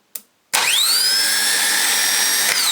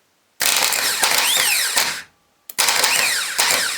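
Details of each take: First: Mercury boat engine starter motor bench-tested after sinking, cleaned, regreased with replacement solenoid; after a click it winds up to a clean, steady high whine, spinning freely and sounding healthy. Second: Mercury boat engine starter motor, bench-tested on battery after sinking, cleaning, regreasing and a replacement solenoid: two short bursts of high-pitched whirring that dip and surge slightly, a bit jumpy, but judged alright. Uneven starter spin.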